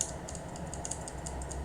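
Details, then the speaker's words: Mechanical keyboard key switch after cleaning (contact spray, desoldering if needed) without replacing the switch. Each press gives one crisp, clean click with no second chatter; the double-click fault is gone: normal key switch. "Nah, ini kayaknya alhamdulillahnya udah sini ya. Udah enggak double klik lagi. Udah lancar banget ini."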